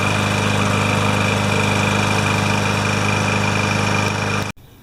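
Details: Older Yard Machines mower with a Tecumseh engine, rope start, after a full carb clean and complete repair: it runs at a steady, even beat with no stumbling, then cuts off cleanly. It is running healthy.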